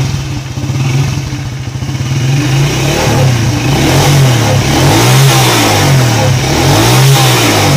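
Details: Honda EX5 motorcycle that stalled suddenly on the road, started after servicing and a cable service: the small single catches and revs smoothly, the beat rising and falling with the throttle and no misses. The mechanic thinks the problem may have been the KBT.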